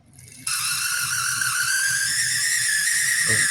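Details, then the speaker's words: Cheap used Tyco HO scale model locomotive: thin, piercing steady squeal over a faint rumble while running slowly, seeming slower at full power; cause unclear. "That squealing is awful. And it's not moving very fast either."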